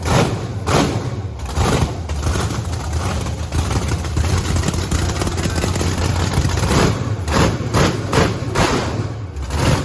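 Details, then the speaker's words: Fixed blower methanol Camaro V8 with nozzles cleaned: deep, hard-hitting rev bursts, crisp and even with no stumble. It burned five gallons of methanol fast and ran out of fuel while revving. Running strong. "that went through five gallons of methanol that fast oh my gosh it went through that fuel so fast we're lucky we didn't just lean pop it"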